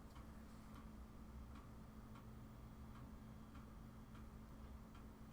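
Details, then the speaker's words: Vectra VL5 200 Pentium 1-era PC being wiped and reloaded: steady clicks about every half second over a low hum as the slow floppy drive head steps while reading; normal floppy drive reading. "sure does because it's a floppy drive and it's not fast"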